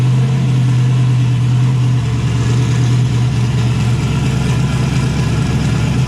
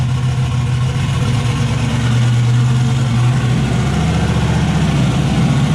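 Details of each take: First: Chevy S10 (Zodiac) with a new turbo setup, after parts on the driver's side were cleaned with carburetor cleaner so it no longer runs on five cylinders: a deep, steady idle with the cam audible and no stumbles. All cylinders firing. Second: Turbocharged V8 Zodiac S10 after fire-up with turbo setup, wideband not yet hooked up; loud, lumpy run with uneven beat, missing at certain rpm and clearing at others.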